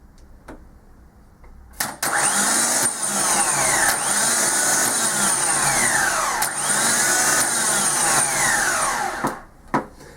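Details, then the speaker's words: Ford Transit diesel starter motor on the bench: it spins freely with an even high whir, no squeal or grinding. The noise had been caused by clutch dust clogging the starter gear. "as you can hear this starter does much less noise now"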